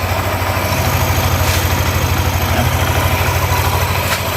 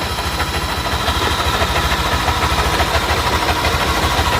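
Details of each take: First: Yamaha NMAX new (circa 2020), after replacing the worn camshaft bearings with racing bearings and adding an oil jet hole: steady, even low idle with no rough "sek sek" rattle; engine now smooth and healthy. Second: Yamaha NMAX single-cylinder scooter idling with pulley removed: rough, dry srek-srek rattling scrape over its steady beat from the cylinder head area; suspected worn camshaft bearing or tensioner, not confirmed.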